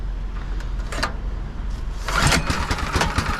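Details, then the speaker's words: John Deere 826 snowblower with swapped-in Predator 6.5 hp 212cc single-cylinder engine, one-third throttle, choke on, fuel on: catches on one pull and settles into a steady, even putter with no misses; normal start and idle. "cow that's awesome you know that's awesome it's not a zero degree day or nothing but for a motor to start"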